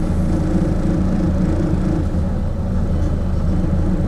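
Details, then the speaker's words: Cold carbureted car at salvage auction, choke pushed off: low lumpy idle barely hanging on, near stalling; rough idle because the engine is cold-blooded and not warmed up. "still running barely she's boy they're cold-blooded I'll tell you"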